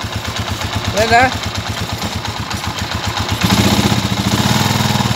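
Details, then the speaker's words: TMX155 single-cylinder motorcycle after timing gear replacement, which cured a tinny rattle inside the engine. Now a steady, even putter that revs smoothly with no top-end rattle. "nawala na po yung tunog l at saka yung lato sa loob"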